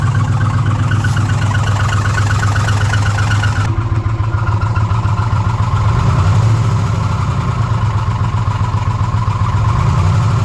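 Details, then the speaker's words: 2006 Ford F-150 5.4L V8 with code P0016 (bank 1), at idle during a warranty inspection. An uneven light clatter rides on the low rumble, located in the upper valve train around cylinders 2 and 3. "In the valve train up top. And somewhere in this area, so 2 and 3."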